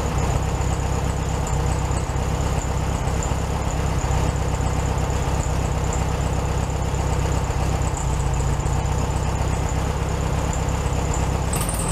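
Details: 1967 VW Beetle 1500cc, warmed-up idle after carburetor reinstalled with new base gasket (second repair); even, steady putter about four beats a second, no stumble or hunting; healthy idle, slightly fast.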